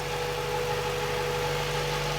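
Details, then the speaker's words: 1999-2000 Honda Civic with Hondata P28 ECU, after junkyard AC kit install and belt tightening: steady idle with thin constant high-pitched tone over it; alternator whining. "That's the alternator whining."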